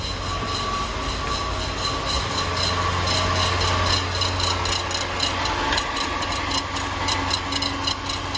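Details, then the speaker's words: Land Rover LR4 5.0 first start after timing chain and cooling system replacement: steady idle with thin ringing squeal and light valvetrain chatter; squeal suspected from fan belt. "coming from down there maybe I just need some more oil oh it's a fan belt"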